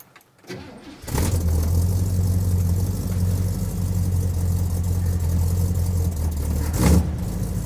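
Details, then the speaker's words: 1967 Buick LeSabre carbureted engine, warm with no choke: catches and settles into a low, wavering idle that dips and surges, barely holding idle and running rough; blamed on a couple of factors, timing among them. "so the car wasn't running well and in fact it was barely idle. And that was due to a couple factors."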